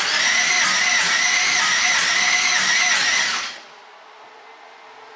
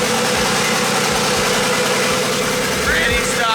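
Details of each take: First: Twin-turbo LS-swapped Mustang after BTR Stage 4 cam install: two long bursts of fast, even cranking about 200 turns a minute, never catches; fuel pump primes, cause found to be cam timing off a good amount. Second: let's get a sound clip of what the little 5'3 stop cam sounds like just to have a little memory of this little this little girl yep pretty stock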